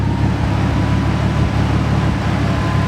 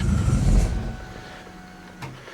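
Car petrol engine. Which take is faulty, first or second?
second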